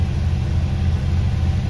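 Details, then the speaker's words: 1990 Dodge W250 Power Ram, lifted, on what may be 37-inch tires, at start-up: starts well and sounds good but idles clearly too high with a steady, deep low rumble; idle screw to be turned in to lower it. "So it started up good. Still idling definitely high. But it sounds good."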